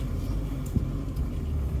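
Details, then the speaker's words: Cheap big-block car, just made roadworthy, on a drive: steady deep rumble under light driving with no knocks or rattles; owner thinks earlier noise was oil starvation from sitting, now oil flows and it runs clean. "i think it was just that starved of oil for that long that the oil is now starting to flow through the motor and it's like oh hang on i recognize you now i'll work properly"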